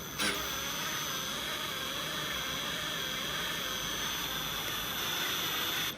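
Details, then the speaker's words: Big-block Chevy on an engine stand, oil system primed with a drill turning the pump clockwise: steady, even drill whine under constant load with no grinding. Pump builds oil pressure normally while checking oil reaches the rockers. "Ooh, that thing has got some pressure."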